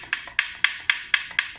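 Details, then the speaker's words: Hyper E-Ride electric hybrid bike from Walmart, front noise heard downhill or over potholes, V-brakes ruled out, cover removed: sharp hollow clicks about four per second; owner believes the loose controller is rattling, not certain. "And it makes you think it's in the front, like the V-brakes. But no, it's actually this thing over here. I don't know if you can see it, but it's actually the controller."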